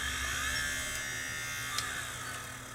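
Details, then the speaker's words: Sony DCR-TRV530 camcorder tape mechanism running with a dry, gritty whirring rasp; suspected drum bearing or something rubbing on the spinning head drum, not yet confirmed. "that sounds like a drum bearing actually that might not be good we'll see why it's making noises or something touching there's something touching the drum it sure sounds like something's rubbing on the drum doesn't it"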